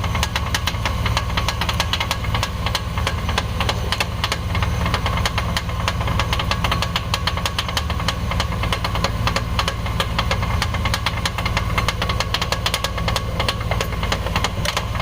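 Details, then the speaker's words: Chevy Express van engine running with a steady, quacking knock about three times a second from a failing fan clutch; fixed by replacing the fan clutch. "this is the part number for the part that was making the knocking noise the fan clutch"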